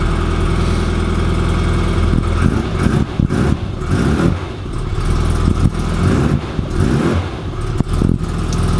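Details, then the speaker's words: Classic Mini Sprite 1275cc, running, also due a head gasket and temperature sensor: rough, uneven puffing tap from the engine bay; exhaust blow suspected at the exhaust manifold-to-downpipe joint. "yeah, hear that tapping coming from the engine bay. Now I believe that is going to be the link between the exhaust manifold and the downpipe, and there's a bit of a join there on the injection models."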